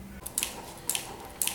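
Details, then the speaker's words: Schwinn AC Performance Plus or Carbon Blue indoor bike: light, sharp double ticks about every half second, once per pedal turn, from the pedal strap clasp hitting the floor; removing slack from the strap fixes it. "as you can see here the pedal clip itself is just hitting the floor all you have to do is remove the slack on the pedal strap and that will resolve that issue"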